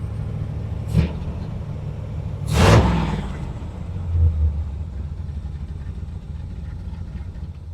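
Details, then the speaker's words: 1967 Corvette Stingray V8, first start after decades sitting (last driven perhaps around 1984), run briefly for 15–20 seconds with no water pump fitted and good oil pressure: deep, even low rumble with throttle blips, no knocks or rattles; normal running, water pump replacement next. "that sounds good next step is uh getting that water pump replaced"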